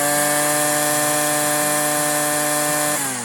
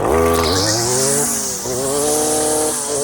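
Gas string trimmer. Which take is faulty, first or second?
second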